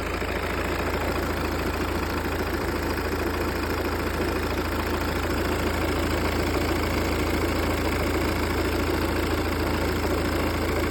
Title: V40 D2 RATTLING NOISE AFTER A CLUTCH AND FLYWHEEL REPLACEMENT?